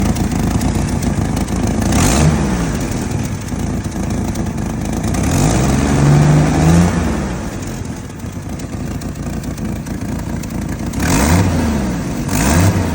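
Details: 1989 Jeep Wrangler YJ 4.2L six at idle: loping, wavering idle with uneven beat and occasional stumbles between blips; rough idle, cause not yet found.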